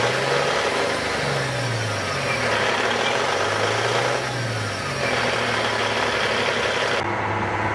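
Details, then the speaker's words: 2004 Peterbilt 387 semi with a 475 hp single-turbo C15 Caterpillar diesel, recorded under the hood after starting: a steady big-diesel idle with a low hum that wavers gently, no knocking or misses. Normal idle. "We'll go ahead and listen to it run. As you can hear, it's starting right up."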